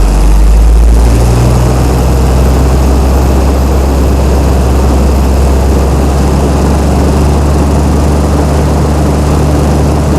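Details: Chrysler 225 Slant 6 generator set on newly installed Holley Sniper EFI, governor not yet connected: deep, even drone at one constant speed, no misses or surging. Normal running.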